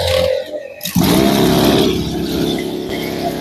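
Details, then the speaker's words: Motorcycle engine, shown alongside carburettor and fuel-filter flooding and stalling issues, starts after a brief crank and runs smooth and even with no knocks or rattles; healthy. "Jadi suara halus, Bro. Ini saya coba saya hidupkan. Ini untuk mesin suaranya halus."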